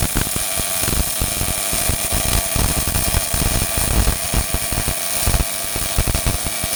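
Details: Old Miller-Matic 251 MIG welder at 21 volts and 366, welding pipe fittings: a steady, even frying crackle with no pops or sputter breaks, the arc running smooth at good settings; normal MIG welding arc.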